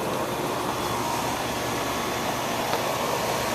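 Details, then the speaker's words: Rheem central air conditioner, first startup of the season after sitting all winter, condenser full of leaves: refrigerant heard, even steady fan and compressor whoosh with no knocks, rattles or squeals: normal running. "I think I heard refrigerant I hope I did anyway oh yeah I hear refrigerant"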